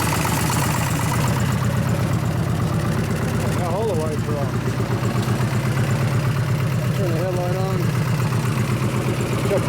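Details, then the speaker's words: 2001 Gilroy Indian Chief V-twin being rebuilt as a race bike, idling: uneven loping beat about 160 pulses a minute, dull and choked like a worn-out or new stock Harley; muffler already opened up, some leaks, sounded better at first start. "A lot of noise, and it sounds like a worn out stock Harley. Or a brand new Harley. Got that same muffled, crappy noise to it."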